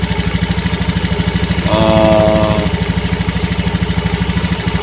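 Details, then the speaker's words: Honda injection scooter after TPS sensor voltage adjusted from 0.5 to 0.410 V for a hesitation complaint, idling-stop model, idle set to about 1500–1600 rpm: even, steady idle pulsing about three times a second with no stumble or hunting; normal idle. "pas ya, 1500 atau 1600 ya. Karena apa, kebetulan motor ini itu idling stop ya."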